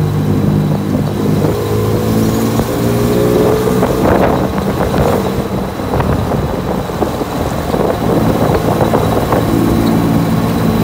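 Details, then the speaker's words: Manual-transmission car while driving: an uneven rattle under throttle in all gears that stops with the clutch pressed or in neutral and isn't heard when parked. Transmission was suspected; the cause was a worn driveshaft universal joint, since replaced. "i was hearing like a rattling noise that would kind of sound when i would press the gas in all gears"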